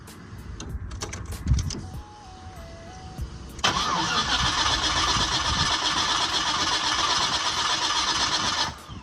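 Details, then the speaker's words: LS-swapped V8 after key cycled several times to build fuel pressure: starter churns steadily about five seconds, never catches; owner suspects a weak fuel pump, pressure dropping fast; replacement pump ordered. "See? It's not hopefully not starting at all. Weak fuse pump."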